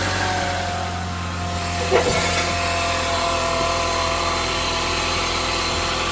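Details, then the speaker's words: 2022+ Honda Civic 2.0 LX after removing the crank pulley and bolt and clearing a stuck piece. Smooth, even idle with a steady low hum and one brief tap; the noise is gone and it runs normally. "We're gonna start the engine and take a look again and listen if that sound is back. So seems like it's okay. Seems like it's okay."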